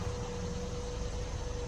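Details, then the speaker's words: 2018 Jeep Compass Latitude with super light damage, at the start of a rebuild: a quiet, smooth, even idle with a faint steady tone and no misses or ticks; the engine runs nice and clean. "all right not too bad i like it runs very nice and clean i'm very happy for that"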